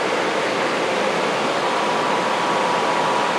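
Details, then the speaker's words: Homemade 15 kW electric furnace heater attachment for a blower, built from salvaged furnace parts to heat a garage. On power-up the heat and blower come on with a steady airy rush, no rattle, scrape or surging. Normal running. "kind of scared we got Heat and the blower came on"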